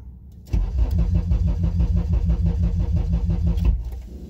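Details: Honda with K-Pro ECU, car cranked while the MAP sensor reads 11 psi boost: starter churns at steady three beats a second for about three seconds but never catches; crank no start, no fuel pressure.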